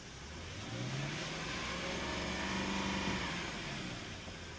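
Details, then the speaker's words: Lexus LS430 V8 at 218,284 miles, just after an oil change with Mobil 1 5W-30: a clean rev that rises and falls smoothly with no knocks, ticks or hesitation; sounds healthy, check for leaks. "Sounds good. Check for leaks."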